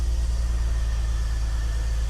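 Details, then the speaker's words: BMW E46 330Ci Clubsport with M54 engine, off the road 7 years, with a cone filter fitted and codes cleared: lumpy idle with a regular stumble, misfire. "It's definitely misfiring. You can probably hear it's definitely misfiring."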